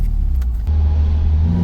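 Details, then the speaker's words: Warm SR20DET turbo four in a Nissan S12 after fixing its low power at higher rpm: revs rise cleanly from idle with no stumble or flat spot. It sounds a whole lot better than before. "Yeah, that's better. Oh yeah, that's a whole lot better."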